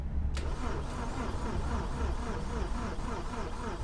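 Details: BMW Z4 E85 crank no start: starter churns the engine at a steady but uneven beat and it never catches; cranking sounds abnormal, cause suspected, not confirmed.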